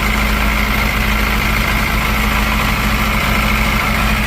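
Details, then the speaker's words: 1982 Porsche 924 Turbo after rebuilt fuel distributor fitted and timing set: steady, even idle with smooth low rumble, no knocks or misses, idling slightly higher once air filter refitted, target about 900 rpm; normal idle. "Seems like it's idling a little bit higher after putting the air filter and everything on it."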